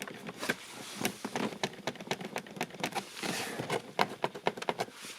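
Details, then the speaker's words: 2007 Peugeot Partner 1.6 HDi (9HXC, 90 bhp, about 102,000 miles), same as a Citroen Berlingo: the door-side plastic trim panel is shaken, giving sharp, irregular clicks from plastic-on-plastic clips. "I mean, there is a bit of a gap here, but you can see when the car shakes, this will really produce quite a bit of sound."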